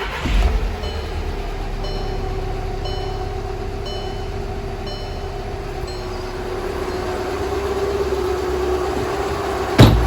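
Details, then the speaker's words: 2011 VW Jetta TDI Sportwagen, CJAA common-rail diesel, over 100k miles, just after timing belt, tensioner, idlers and water pump replacement: steady even idle, smooth low rumble, light clatter, no misses or knocks; runs well. "sounds good so the car's back together and running really well"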